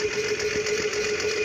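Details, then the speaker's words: Solar-cell water pump whose motor should start by itself in sunlight: a steady mid-pitched motor hum with a thin high whine, turning evenly, but no water is lifted. Pump motor runs but delivers no water, cause unknown. "เคยเข้ามาปลอกเครื่องอ่านจะมีเสียงเครื่องหมุนอยู่แบบนี้หาหมุนมีเสียงแต่ไม่สามารถสูบน้ำขึ้นได้"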